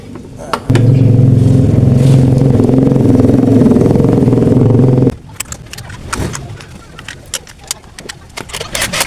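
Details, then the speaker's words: Honda Vario 125 scooter after CVT work, with the CVT cover refitted; the earlier tok-tok knock at idle is gone. It idles smooth and even for about four seconds with no tapping, then shuts off: normal idle. "oke teman-teman di sini suaranya 100% hilang suara toktok toktoknya sat langsam tuh oke suaranya sudah hilang"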